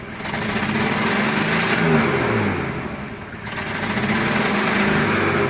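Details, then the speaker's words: 1988 BMW 528e heard from inside the cabin at idle: lumpy, uneven beat that stumbles every so often, no check engine light; a misfire, with the crank sensor, grounds, injectors or a wiring fault suspected, not confirmed. "This car has so many different variables on why it would misfire. But what do you expect from an 80s BMW? So we go back into the cabin and we'll hear the misfire."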